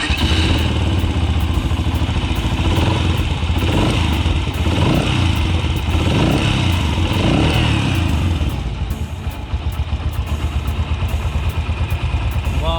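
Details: Yamaha YBR125 (5VL engine): single cylinder thumps evenly at a fast idle with no chain slap or rattle over the top, so the timing chain sounds healthy.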